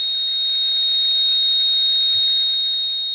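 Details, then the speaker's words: Radio receiver at 4:30 am on lower and upper sideband: a thin, very high-pitched steady ringing over a quiet background, not a buzz or a tone; the interference source is unidentified. "almost into a like a ringing sound you know what I mean it's not like a buzz or a tone it's almost like a ringing"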